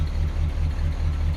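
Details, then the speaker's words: 1966 Ford Galaxie 500, first start in 44 years, ignition points arcing slightly: with the brake pedal held, the low idle lopes with uneven pulses as vacuum is lost, and it smooths when the pedal is released. Vacuum leak in the power brake booster. "all right I got power assist two right there and now I've lost all the vacuum and look at our off the engine you can even hear it"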